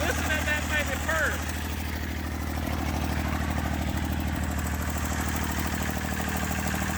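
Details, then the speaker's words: Massey Ferguson 35 diesel tractor, sat 20+ years seized, starter failed, tow-started in third gear high, firing after about 300 yards: clattering steady, even idle with regular beat and no misses; normal running. "It took it about, I don't know, 300 yards to build up enough compression and heat. And it finally started popping off."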